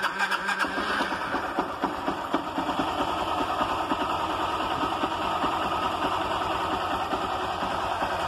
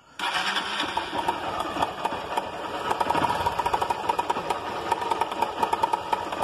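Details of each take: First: Honda Titan 160 motorcycle after cam chain replacement: engine catches and settles into a steady, even idle with no chain rattle or knocking; the earlier noise was the cam timing chain, no engine rebuild needed. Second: Honda Titan 160 motorcycle single fires up and idles with a fast, loose metallic clatter, heavy-sounding: cam chain rattling, or possibly worn engine needing a rebuild.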